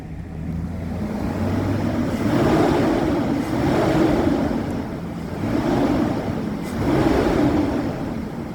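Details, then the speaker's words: 1999-2006 Chevy/GMC truck after conversion from electric to engine-driven clutch cooling fan, slightly wobbly cheap fan: strong whooshing roar swelling with each throttle blip; fan pulls plenty of air, working properly. "oh that's like the sound of a fan that actually works"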